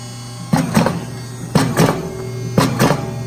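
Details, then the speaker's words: MGI Power Punch Pro hydraulic die cutter in blank-card mode, punching 21-up business cards from laminated 100-lb cover sheets: steady motor hum with paired heavy thunks about once a second as each sheet feeds and punches, normal cutting cycle. "it has a hydraulic you can hear the die-cut come up what I'm gonna do is I'm gonna push my sheet in you have a sensor here it's gonna roll it in and it's gonna die cut it"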